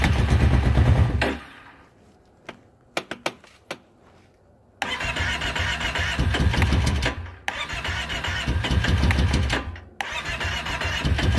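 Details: 2012 Kawasaki Brute Force 650i ATV cranked with choke closed: several few-second bursts, starter churns steadily but engine never catches, crank no start.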